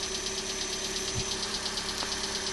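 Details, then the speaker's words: 2012 Hyundai Elantra on cold morning start-up: a fast, even ticking of about six to seven a second over the idle, louder on the passenger side and lasting up to 5–10 minutes. "so this is the noise that it makes in the morning and it sometimes it does it as much as 5 or 10 minutes on initial startup"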